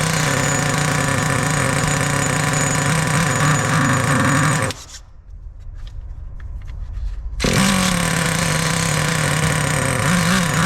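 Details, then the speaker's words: 2002 Traxxas T-Maxx RC with TRX 2.5 nitro engine, sat 17 years since 2008; high, buzzy little two-stroke note that cuts out briefly then picks straight back up. Idles and runs healthy. "yes all right I have no break she's idling she's idling and she's freaking driving guys"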